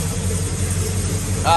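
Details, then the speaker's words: Pontiac GTO V8 idling after pushrods replaced and swapped 4/7 plug leads corrected: deep, even burble with no ticking or top-end clatter, far quieter than before; normal idle. "time to fire it up after we uh swapped out the push rods see how much quieter it is way quieter"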